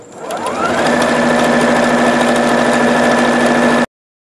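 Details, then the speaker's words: Used Singer Futura Quintet sewing at full speed after replacing bobbin case and throat plate: steady smooth even hum, earlier full-speed noise is gone. "And as you heard earlier in this video, it was making a noise when I went to sew full speed, and now it doesn't make that noise anymore."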